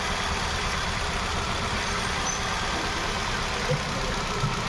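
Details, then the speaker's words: Hyundai Venue, coil-pull test at idle, cylinders 2–4 working: idle steady but slightly lumpy with one cylinder not pulling; cylinder 1 dead, no injector supply due to ECM fault (P0300/P0301). "और यह अपना चार number भी काम कर रहा है। अपना जो प्रॉब्लम है यह एक नंबर काम नहीं कर रहा अपना।"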